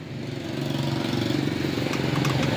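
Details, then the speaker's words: Recently overhauled small engine, found low on oil and now without power and hard to start. It runs rough and very loud, with sharp metallic clacks traced to the rocker arm. "Mipakita ko sa kanya mamaya na 'yung problema ah ito 'yung isa sa problema kung bakit napakaingay ng makina at walang pwersa no walang hatak."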